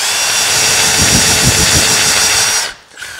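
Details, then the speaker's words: Nearly new Milwaukee M18 cordless drill running unloaded, battery held by a shock strap so no battery rattle; rough gritty whine with loose low knocks and grinding at the top from worn bearings. "that's the bearings knocking in there because this thing's wore out but you can hear no battery rattle like before hear how it's grinding in the the top of it"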